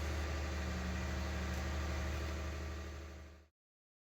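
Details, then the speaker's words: 1999 Jaguar S-Type 3.0 V6 at idle after replacing all spark plugs and coils for a cylinder 2 misfire code: smooth, even low drone with no stumbles; 20–30 minute test drive with no misfires and no codes, normal idle. "I took the car for a nice 20 to 30 minute test drive ran perfectly smoothly no misfires at all"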